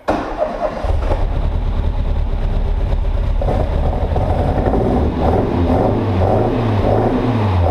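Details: Ford Fiesta Mk1 XR2 just converted to Jenvey throttle body and Omex 600 fuel injection, after adding more fuel: engine catches, settles into a steady run, revs rise and fall cleanly with no misfire.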